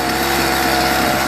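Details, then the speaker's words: Homelite 42cc two-stroke chainsaw, about 10 years old, previously shutting down when hot, after a comprehensive carburetor clean: short steady buzzing run with even pitch, no bogging or surging; idle and revs good. "idle's good rev's good that's all it needed was a carburetor clean a comprehensive"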